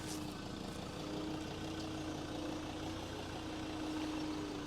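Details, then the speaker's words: Low-mileage replacement 3.2 engine in a Ford Ranger, all covers on: soft, steady diesel idle with an even low hum and no knock or tick; quiet and healthy. "it sounds beautiful sounds very very quiet now it's got all the covers on it"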